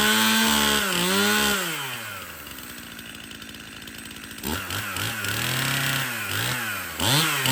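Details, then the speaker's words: Stihl MS 271 Farm Boss 50cc chainsaw after service (cleanup, new bar and chain, needle bearing and drum sprocket replaced): crisp two-stroke buzz climbs and falls cleanly through blips, settles to a steady idle, revs freely again; runs and oils well. "okay so this steel Ms 271 starts good runs good and it's oiling"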